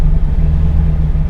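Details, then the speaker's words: Cammed V8 truck after HP Tuners idle tuning: idling in reverse with the computer targeting 800 rpm, timing holding 25 degrees; deep lumpy rumble, steady without stumbling or hunting. "I wanted to show you it idles fine in park like it is right now you can hear it idles fine in Reverse we'll put it in Reverse right now and you can hear it idling fine it's still holding 25 degrees"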